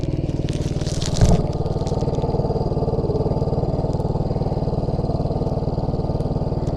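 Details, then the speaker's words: 1980 Yamaha XT250 after carburetor adjustment, test ride: single-cylinder thumping at a quick steady rate, faster than a relaxed idle and throttle hanging up slightly; idle speed set too high, needs turning down. "i think i did and the auto is a little high"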